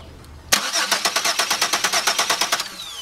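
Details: 2002 Chevy Venture 3.4 crank-no-start with good spark but no injector pulse, cranked by remote starter while probing with a test light: about two seconds of quick, even cranking, roughly eight beats a second, stopping without firing.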